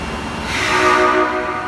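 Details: Osaka Metro Tanimachi Line 22 series car 22662F (ex-651F/22962) departing Tanimachi 9-chome: short horn blast over rail noise, harsh buzzy off-key tone instead of a clean note; abnormal horn sound.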